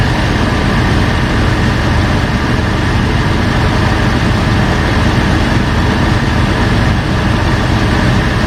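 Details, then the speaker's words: 2005 Jeep Wrangler Unlimited LJ rebuilt stroker after replacing the oil pump drive unit (failed at 75 mph) and fitting a high-volume oil pump: first start after repair, good oil pressure, starts first try and idles smooth with an even steady rumble, no knocks or ticks; normal idle. "good oil pressure everything looks good everything sounds good started right up first try without any issues idling smooth"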